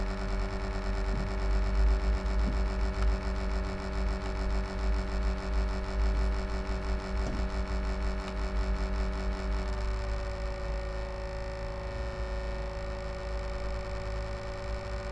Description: My laptop HP Envy m6 makes this strange noise from the fan, someone could tell me what it is?